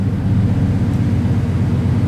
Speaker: it does not have a tachometer as you can hear them tix it's also not excessively loud however it does have a nice Rumble